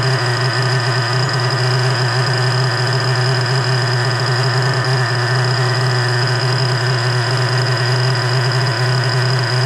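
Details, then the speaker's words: Rebuilt 3.3 engine with new bearings, after carburettor low-end adjustment: an even, steady low hum with no hunting or misses over ten seconds. Normal, stable idle. "We're doing good. We're doing [ __ ] good. We're about there, guys."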